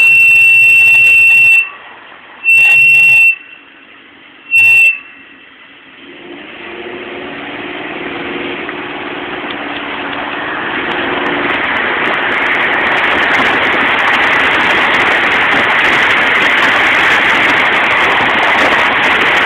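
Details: Jeep SRT-8 with Stillen slotted rotors and Hawk LTS pads: three loud piercing high-pitched brake squeals, then rising road and wind noise as it speeds up; owner says the typical squeal now won't go away.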